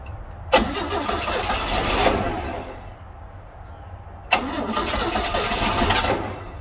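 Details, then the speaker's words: 1960 Grumman Olson Kurbside step van, 235 engine, first start since 1992, fed from an external tank in the cold: two long cranking bursts, starter churning, no catch; owner thinks it flooded and finds a spark plug wire left off. "So I think I kind of flooded it out there, and also noticed that I had this spark plug wire right here off when I was doing testing, and I didn't get it back on."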